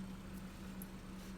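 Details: Daewoo fridge, after the fix: the noise had come from a vibrating pipe at the back by the compressor, which was stuck down. Now a low, steady, quiet compressor hum with no rattle or buzzing pipe; normal quiet running.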